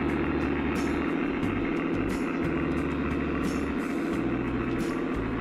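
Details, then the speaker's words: Accucraft Goose #2, roughly 25 years old, running after the broken drive gear was replaced and the motor oiled, battery possibly a little low: steady hum with light regular rail clicks and no grinding, climbing the grade under load. "It's a heavy engine, but it did traverse the grade."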